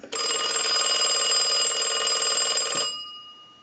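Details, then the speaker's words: Stromberg Carlson Fatboy rotary phone after replacing the unusable bell and rewiring, rung by the analyzer in final checks: loud, bright, even bell rattle about four strikes a second, cutting off cleanly, no buzz; ringer normal. "so now what we want to do is start our final checks and we want to go ahead and ring the unit with the analyzer so we'll go ahead and do"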